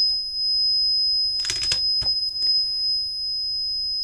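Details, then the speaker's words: Meta reverse parking sensor kit bench-tested: a steady high beep with no break or change of rate, a constant alarm with no obstacle present; the fault guide suggests reducing sensitivity. "I would have liked it to sort of do a bit more than just constantly beep."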